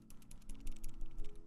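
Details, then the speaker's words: QK Alice Duo keyboard with unlubed stabilizers: a tinny, clattery rattle on each spacebar press, caused by the stabilizer's large side-wiggle tolerance; the stabilizers are to be lubed. "rattling. And we don't like the rattling."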